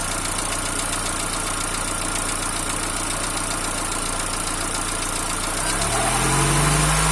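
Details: Peugeot TU5JP4 engine at cold idle: steady rapid knock about four a second, revs lift near the end; knock appears about a minute after start and disappears once warm; origin unknown.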